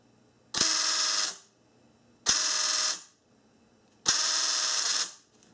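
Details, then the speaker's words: 1994-1997 Honda Accord door lock actuator: three harsh high buzzing grinds about two seconds apart as the gear overtravels with the rubber stop detached, gears jump out of mesh and the motor keeps turning; fix is gluing the rubber piece back on. "now in the opposite direction this gear is going to travel too far these two gears will come out of mesh and the motor will continue to turn making that noise that you hear"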